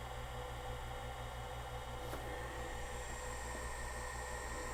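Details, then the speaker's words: Friend's Macintosh Classic II after CRT replacement, powering on: steady low hum, thin high whine and even fan rush, no crackles; sounds like a computer, hard drive likely clicking, CRT trying to energize, but no image yet. "Well, it sounds more like a computer. No image on the display yet. That could be a lot of things."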